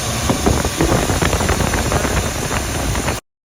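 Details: 2002 Ford Excursion 6.8L V10 at idle just after start-up, uneven stumbling beat of a single-cylinder misfire; codes P0303 (cylinder 3 misfire) and P0316 (misfire on start-up).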